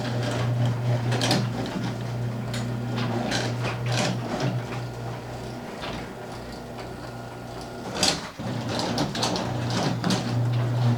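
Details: Garage door after fixes (roller sleeves, nylon rollers, hinges, white lithium grease): door travels with a soft, even opener rumble and only a couple of light clunks, no squeal or rattle; runs quietly.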